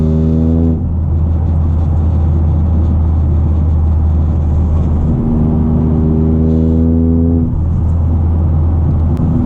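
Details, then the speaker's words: 2023 Toyota GR Corolla with FI Exhaust catback, in-cabin under light throttle; deep steady droning hum and low boom rising slightly with revs; cabin vibration also present with the OEM exhaust, so not caused by the exhaust; exact source not identified. "One thing to note, this vibration that you're hearing is not because of the FI exhaust system or an aftermarket exhaust system. This was happening with the OEM system as well."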